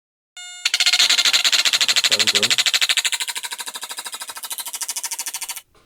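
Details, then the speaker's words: Vintage Stylophone 350s synthesizer under repair: the power amplifier IC draws excessive current and runs hot, hitting the bench supply's current limit. This makes a harsh, even buzzing chatter at three to four pulses a second; suspected fault near a nearby transistor. "At some point, the power amplifier starts drawing so much current that it hits the limit of my power supply unit, which makes that noise."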